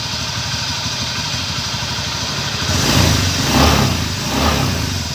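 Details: Honda Scoopy scooter, pulley/CVT cover removed and engine run to find a rough buzzing noise; rough, gritty buzz under the engine note swelling with each throttle blip. Worn crankshaft bearing, needing full engine teardown and bearing replacement.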